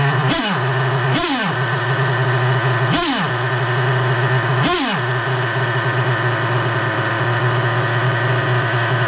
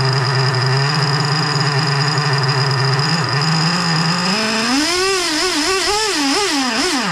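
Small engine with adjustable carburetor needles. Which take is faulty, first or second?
second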